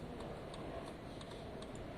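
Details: Lexmoto FMX motorcycle, pre-MOT check at idle: steady light indicator ticking about two per second over a quiet idle; flasher cycling evenly and working normally.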